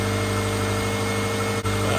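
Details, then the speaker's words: 2007 Subaru Impreza that wouldn't start, after checking crank and cam sensors and replacing the ignition coil: steady low even idle, no misfire or knock; runs smoothly, coil apparently the fix. "all it was boy that was an easy fix well hopefully that's it sounds good"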